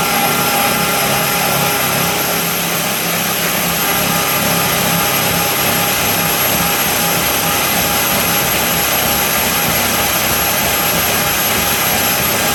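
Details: Trailer lift gearbox, replacement unit, driven by a drill in high gear lifting an empty trailer: steady high whine, pitch fairly even, slowing slightly under tension. Gearbox runs clean with no grinding.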